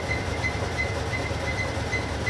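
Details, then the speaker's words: Servis Gem 600 washing machine after replacing its door handle, running on program number 5. Deep, even rumble with a light regular tick as the drum spins, no banging or scraping; normal spin. "Number 5 is spinning round. It seems to be alright so far, but we'll wait till it does the fast spin."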